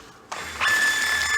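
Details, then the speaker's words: IBM 4400 thermal label printer after cleaning dirty media gap sensor and replacing bad ribbon rewind motor, running diagnostic print: even mechanism whirr with steady high tone as label feeds smoothly; normal printing, fixed. "there you go now we're cooking with fire that's the way it should work awesome so this one's fixed"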